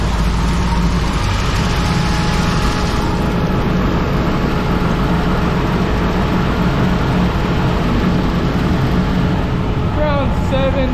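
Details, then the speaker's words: 1932 Ford coupe with blown 383 small-block Chevy that randomly dies, after fuel pump relocated near water pump, pressure about 8 psi fluctuating: deep heavy idle with choppy lope from the aggressive cam, not a fault; smooths when revved. "8 psi or so, kind of fluctuating with the cam the way it lopes. But if you rev it up a little bit, it'll smooth out."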